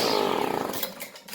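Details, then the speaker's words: GTI 15T string trimmer after new fuel line and filter: small two-stroke buzzes crisp and even, then winds down cleanly; ran 45 minutes idle to full throttle, restarts first pull. "Well, Mongo run her out back between idle and full throttle for about 45 minutes. She's a good little running machine. And restarting on the first pull."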